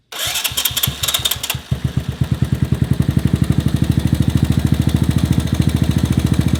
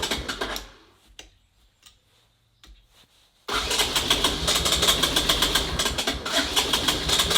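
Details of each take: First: 1984 ATC Big Red after valve adjustment, cam chain tension, timing set and fresh spark plug: single settles from start into steady even idle, much quieter, no loud top-end rattle; normal idle. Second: 1984 ATC Big Red three-wheeler failing to start: cranks with loose uneven pops that never catch into a run; misfire/detonation from spark plug with no gap.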